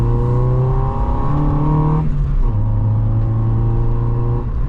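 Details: Vauxhall Corsa B 1.4Si GLS with newly fitted K&N 57i induction kit: strong deep intake roar climbing in pitch, brief dip at a gear change, then pulling cleanly again; immediate difference, normal acceleration with open intake.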